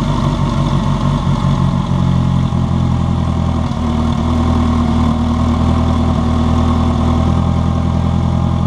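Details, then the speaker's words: Turbocharged project race car, first start after a new O-ring on a leaking injector: steady, even low idle with a constant hum and no misses or ticking; turbo spinning, no fuel leak, healthy. "no leakage nothing leaking it's alive look at that turbo spinning it sounds pretty mean"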